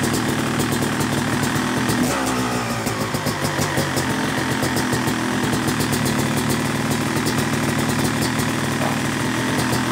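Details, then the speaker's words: Rebuilt Yamaha YZ250 two-stroke (270cc) motocross bike after full bottom-end rebuild, third start of break-in, warm: crisp two-stroke crackle at idle with gentle blips rising and settling cleanly; normal idle and light revving, sounding good. "but looking good sounding good man so pleased"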